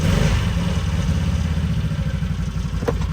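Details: 2020 Can-Am Defender after swapping in a used 2019 X3 transmission (25% gear reduction), first start: steady low, even idle with a smooth beat, no knocks or grinding; engine and driveline sound healthy; normal idle.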